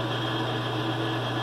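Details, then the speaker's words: Mr Heater Big Maxx heater after a pressure-sensor fix for a three-blink LED code, thermostat calling for heat: smooth, steady hum from the exhaust inducer fan with no rattle. Normal operation with a fast blink before ignition. "Thermostat just called for heat. Heat on. You can hear the fan going. If we're lucky, this thing will work fine."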